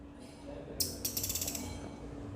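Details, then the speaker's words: Car windshield wiper linkage, right-side link turned by hand: won't rotate freely and gives short dry clicking and scraping. Stiff wiper linkage pivot joint; fixed by cleaning and refitting, after which the noise was gone. "इसको मैं कितना भी घुमाने की कोशिश करूं यह घुम नहीं रहा है मोटर पर जबरदस्ती उनका है लेकिन आपसे बिल्कुल भी नहीं उनका घुमाने पर आवाज कर रहा है"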